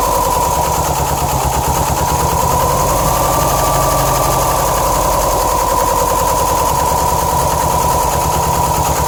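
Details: 2007 Subaru STI at idle: stumbles in uneven, chopping pulses with a steady ringing note above, like misfiring; rough idle after a shredded check-valve screw in the passenger-side AVCS probably starved oil to cylinders 1 and 3, issues remaining and possible damage.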